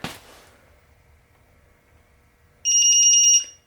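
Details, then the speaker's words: Brownline BLD0212 digital torque wrench set to 50 ft-lb on a nut: a short, high, steady electronic buzz under a second long, the normal signal that set torque is reached. "okay 50 it should Buzz right away"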